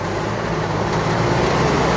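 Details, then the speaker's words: 2005 Chevy Astro Van after a new fan clutch and radiator to cure overheating and a roaring fan clutch: steady, even engine hum with no fan roar; now normal, though temperature still reads a little high with a 170 thermostat. "so now it sounds like it's supposed to sound"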